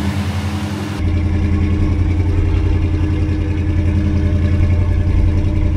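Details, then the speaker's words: 1964 Ford Galaxie 500 XL with its original engine reinstalled, overhauled carburetor and fresh fuel, on the lift and now quiet: engine catches and settles into a smooth, even low rumble at idle with no knocks or ticks; normal idle. "quiet sounds good to me now we got it nice and quiet we got it running on its own"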